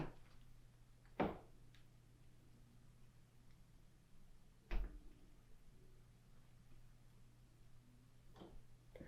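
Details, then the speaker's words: Door swinging after WD-40 was worked into the hinge joints: only soft thumps and light clicks, the hinges now silent with no squeak. "Perfect, no squeaks."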